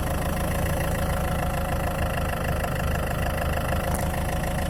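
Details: Land Rover Freelander 2 engine at idle: an even idle with a low, steady thumping pulse underneath; engine knock at idle, cause not identifiable by ear.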